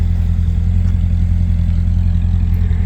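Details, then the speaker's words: 2006 C6 Corvette Z06, stock, warm idle just after a hot start during outside walk-around; low, even rumble at constant pace, nothing tapping or rattling; clean, healthy warm idle. "Little outside walk around, just after doing a nice little hot start. Fired up."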